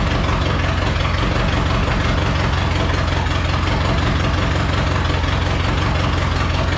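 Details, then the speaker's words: Datsun/Nissan 720 King Cab 4x4 pickup that sat about 20 years, carburettor recently rebuilt, throttle having almost no effect and a significant fuel leak: uneven loping idle, seemingly firing on every other cylinder, with the carburettor flooding. "and the carburetor is totally flooding great okay not good not good"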